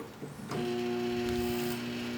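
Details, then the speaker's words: Small microwave oven on the repair bench after new ceramic fuse and series-lamp short test, transformer switched on via mechanical timer: click then steady hum from fan and transformer, magnetron drawing current on ammeter; running normally. "Ligou o magnetron, posso ver no meu amperímetro. Tá tudo funcionando ok."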